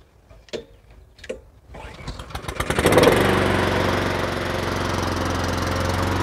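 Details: Neglected Honda Harmony II HRS216 lawnmower after a carburetor service and tune-up, choke on: a couple of cord pulls, then it catches and settles into a steady, even single-cylinder run, so the start is healthy.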